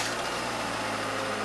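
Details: 1999 Ford Festiva, 249,000 km, started right after an oil change with 3 litres of 20W-50, oil pressure light out at once: small engine at a steady, even note with no knocking or rattle; sounds healthy.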